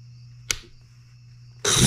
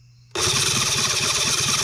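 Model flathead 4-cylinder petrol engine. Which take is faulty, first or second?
second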